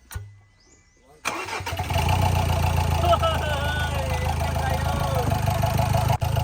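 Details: Ford Ranger with crank-no-start problem, after replacing the camshaft sensor: cranks briefly, then catches at once and settles into a steady, even diesel idle; starts fine. A cracked turbo hose was also found.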